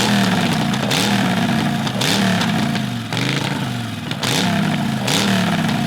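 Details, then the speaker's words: Predator 670cc dragster engine with billet flywheel, billet rods, ported heads and a reworked carburetor: idle hunts up and down about once a second; a vacuum leak at the snug-tightened intake is suspected but not confirmed, otherwise it sounds healthy. "there's a idle issue could be a vacuum leak from the intake how tight did you do the intake snug snug all right we might want to check for vacuum leaks"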